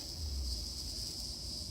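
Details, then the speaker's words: 1998 Jeep Wrangler TJ restored AC system: steady thin high hiss over low rumble as air is drawn in through a leaking AC Schrader service valve, the vacuum leak; all Schrader valves were bad. "There's my vacuum leak. It's in that valve right there."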